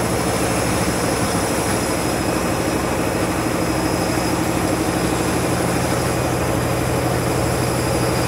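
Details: Washing machine spinning after a reset because it wasn't heating, never seen before on this washer: continuous heavy roaring rumble that never settles through the spin; violent erratic spin, cause unknown.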